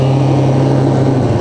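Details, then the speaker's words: Old Moto-Ski snowmobile, revived in summer 2016, on its first snow ride in over 5 years: a steady droning engine note under throttle without the sled pulling harder. The drive belt is slipping on the clutches; the throttle must be applied gently or it won't grab. "so I don't know if you can hear that but that's the belt slipping on the clutches"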